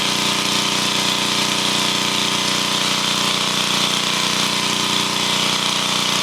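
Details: Engine powering a welder after internal repair (valve springs, new head gasket and valve cover gasket; earlier fuel pump kit), done because it lacked power while welding. Constant, even drone with a bright mechanical hum, no knocking or stumbling; normal running.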